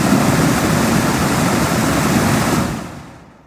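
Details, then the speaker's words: 2003 Pontiac Vibe cabin heat/AC blower: steady loud air rush at full speed then winding down; nothing on low or medium, works only on high; owner wonders about a fuse or similar, cause unknown. "but as you guys can see my fan does work but only on high speed so makes me wonder if there's maybe there's a feud set up kind of like kind of like for your actual fan"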